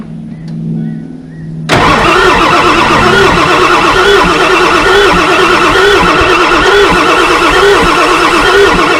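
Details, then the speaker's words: Ford F350 7.3 Powerstroke diesel that sat in a junkyard for 15 years, cranked with jump-start voltage and brake clean sprayed in: the starter turns steadily at about three turns a second, but the engine never catches. Crank, no start. "It should be firing, especially with this brake spray."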